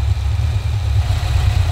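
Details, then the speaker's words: HQ Holden V8 after T5 conversion, service and new electronic distributor with coil bypassing the resistor, car with low mileage in 14 years; deep steady idle burble, even beat, no misses or ticking; normal idle. "nice running real nice see how she sounds really good [Music] that actually sounds really good right now"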